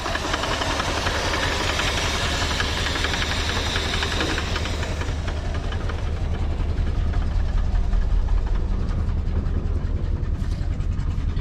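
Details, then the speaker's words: Old previously seized Ford engine run on a temporary gas tank on the hood: rough running with steady knock about two or three per second over low rumble; oil pressure present, fuel pump found dead, cause of knock unclear. "squeeze my G's and we'll see if if we fire and run for a little bit it's doing it it sounds healthy not really but uh"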